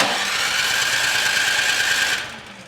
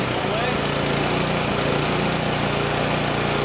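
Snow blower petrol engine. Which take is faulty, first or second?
first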